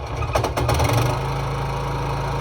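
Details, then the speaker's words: Free lawn mower (seller believed it needed major engine work), before the fix: rough, jerky startup with uneven thumps, then a buzzy idle; engine visibly moving and shaking loose, a loose engine mount. "can actually see it move Look careful enough did you guys see it move did you hear that it doesn't sound good"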